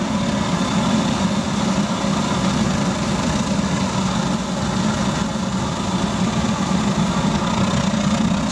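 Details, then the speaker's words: Gravity-fed waste-oil burner in converted pot belly stove, throttled up with drum getting hot: constant deep roar with steady low hum, no popping, sputtering or surging, burning clean. Normal high-fire operation. "got to love that sound you can probably tell from the color of the drum it's getting nice and hot there no question about it"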